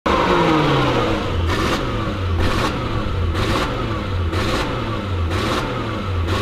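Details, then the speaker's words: Lexus LS400 stuck in limp mode: light throttle revs up, but past about 25% throttle it won't rev. The engine climbs briefly and drops back about once a second under a low ceiling. Check engine light on; owner suspects leaking capacitors in the ECU. "Light throttle will rev up. But when you go to just full throttle, anything past like 25%, aren't we in a familiar spot now, guys?"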